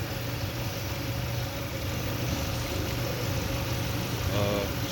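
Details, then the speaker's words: Hyundai Santa Fe 2.0 turbo after spark plug replacement: smooth steady low hum with even beat, no stumbles or skips; normal idle, no misfires. "here we go running sounds good no misfires"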